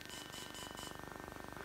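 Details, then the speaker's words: DJI Phantom 3 Professional drone after a failed firmware update: steady string of short even beeps, about fifteen a second, the normal beeping of a properly running firmware update, gimbal light still flashing red and green. "this kind of beeping is a bit more familiar this is the beeping it makes when it is doing a firmware update properly without this ridiculous"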